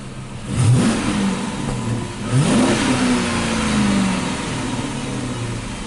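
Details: 2006 Dodge Charger 5.7L Hemi V8 stalling and surging, worse cold; revs blip twice then sag and hunt unevenly, cutting out at low idle despite new throttle body, pedal sensor and ECU; failing ignition coil.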